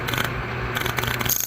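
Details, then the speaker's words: A2 bowling pinsetter with motor unplugged: rapid uneven bursts of clicking buzz, several in under two seconds; motor contactor chattering on flickering power, arcing seen at a nearby wire, repaired afterward. "Contact was chattering."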